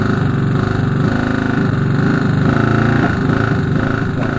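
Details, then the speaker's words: Moto Morini 250 2c twin at steady idle: a regular hard knock every revolution over the exhaust beat. The cause was big end play from a big end cap fitted 180° out, so its teeth weren't meshing. "he discovered a big end cap put on 180° out this means the teeth weren't meshing and introduced the big end play that could be heard"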